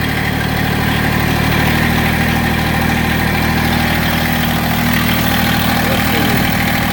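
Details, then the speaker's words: Massey Ferguson GC1710 sub-compact tractor diesel idling unevenly with a lumpy, shaking beat around two per second and heavy low rumble, strong vibration and power loss; owner suspects a cylinder misfiring or not firing, not confirmed. "now I idle it down and you can see how rough I mean I I can't I wish I could show you how much this knob is moving but it's bouncing tremendously everything is just everything's shaking"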